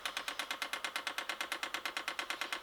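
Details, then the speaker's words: H-Calorie Chinese diesel heater with homemade controller, first test, priming via prime button activating pulse generator: crisp even ticks about seven a second from the dosing pump, slower than it should be; cause not yet traced. "we're going to see if we can prime the pump that's slow what's going on there hmm there's a first problem"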